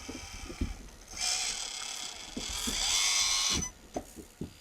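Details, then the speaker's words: Hobbywing Quicrun Mini24 brushless ESC and motor in an Axial SCX24 crawler: short bursts of smooth motor whine rising with throttle, no gritty gear chatter; first run, super smooth and extremely quiet. "check out the first run. Look at that. Super smooth. Extremely quiet. Very linear."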